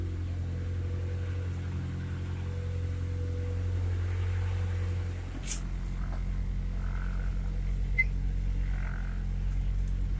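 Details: Honda Civic with B20B engine, first start-up after fitting SRS catback exhaust, heard from inside: much quieter, steady deep exhaust drone dropping in pitch as revs fall, smooth with no knocks or rattles; normal engine revving.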